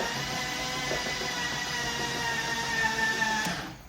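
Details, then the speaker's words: Flood-damaged 2006 BMW E46 M3 after new oil pan and replaced frozen starter, spark plugs removed: steady whirring crank, slightly slow from low battery, even, no knocks or scraping; engine spins freely. "Now she is cranking a little slow, but that that's just cuz the battery is is kind of low. Spinning nice and free. No crazy sounds."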